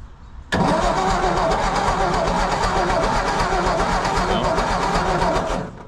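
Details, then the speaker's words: 1954 Ford F250 truck, new spark plugs fitted, old plug wires loose and highly resistive, power at coil and points but possibly weak at coil: steady cranking about four beats a second for five seconds, never catches; cause not confirmed. "but now it has no spark. So gonna have to figure that out and figure out why it doesn't have any spark."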